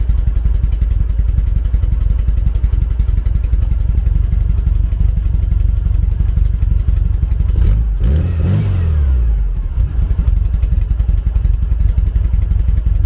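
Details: 1974 VW Beetle flat-four with Weber IDF carbs, number three cylinder dead on plug-lead test: lumpy uneven idle, throttle blip rises and falls, stumble persists; misfire from blocked idle jet.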